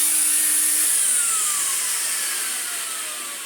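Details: 1986 Vax 121 vacuum cleaner after a full motor restoration and fluff cleared from the fan: a steady airy rush with a high whine slowly dropping in pitch, running smoothly with no rubbing or rattle.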